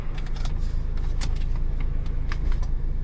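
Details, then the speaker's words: 2003 Ford Explorer 4.0L SOHC 4x4 idling while the transfer case engages four-high, with sharp clicks over a steady low idle; 4WD working after a low-voltage fault code was cleared; normal shift. "four wheel high you heard a click four wheel lows flashing look at that guys let's make sure we're in forward low yeah we're definitely in low got tons of power there we go guys"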